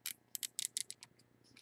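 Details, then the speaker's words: Bass Pro baitcasting reel being disassembled: quick, light clicks in short bursts as the star drag turns, made by a small spring-loaded pin inside, a healthy drag clicker. "What that is, that's a little spring-loaded, I don't know what you want to call it, a little spring-loaded pin that makes that sound on the inside there."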